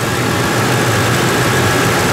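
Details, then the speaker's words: Ford 4.6 2V V8 after a new intake manifold and injector O-rings, warm at 145 on the temperature gauge with the cooling fan on full: a steady, even idle with light valvetrain ticking underneath, no misses or surging. "It's about as smooth as she's gonna get. You can actually hear the valves and stuff going on down there."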